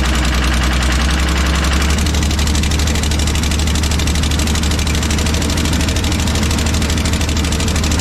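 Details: Kobelco SK250 excavator, believed 2006, diesel started at idle before repair, new exhaust gaskets on hand; heavy, uneven chuffing beat like a dead cylinder, "it ain't good" — exhaust manifold leak, manifold to be changed out.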